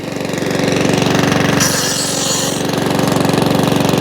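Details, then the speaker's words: Mountfield 414/416 mower rescued from a tip, previously wouldn't fire, first start: steady even single-cylinder putter, regular beat, some oil coming out the exhaust, no hunting. Normal running. "bit of all coming out the exhaust you hear it not hunting that's good"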